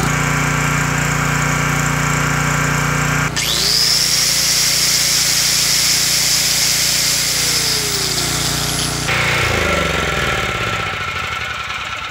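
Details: Homelite LR4300 generator with a Robin Subaru EY28 engine, after a carburetor rebuild, started after replacing a non-starting NGK BPR6HS plug with a Champion RL82YC; it catches and settles into a steady buzzing run with a faint whine: normal running.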